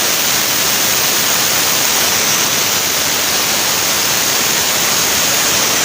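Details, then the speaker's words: Angle grinder cutting stone after armature (anker) repair of weak power and growling (ngorok): steady, dense hissing roar that holds even with no bogging or rough growl; power now better, normal running. "nah ini tadi Lur tenaganya sudah mending daripada yang tadi kalau untuk kita membelah batu Nah masih masih bisa"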